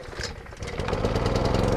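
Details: Honda small engine with automatic choke on a 151 dry washer blower, throttle set mid: catches quickly and settles into steady, even putter without misses or surging; healthy running.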